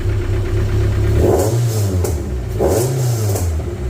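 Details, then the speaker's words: MGF race car after a throttle-surge running issue was fixed, warm after about 35 minutes of running: steady idle, then two quick clean blips rising and falling smoothly with no surge or hunting. Normal free revving after repair. "I'll keep coming over and just giving a little rev and it's been absolutely fine so I think we've solved that issue with that running problem"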